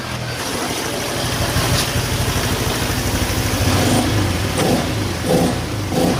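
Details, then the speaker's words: Honda Vario Techno 125 injection scooter after repair, fault traced to the ECU: blips cleanly from idle and settles back, throttle response now spontaneous with no bog or rough "ngorok"; normal throttle response. "motor ini sudah normally teman-teman teman-teman bisa dengar sendiri tadi cara saya menggas motornya pun sudah spontan"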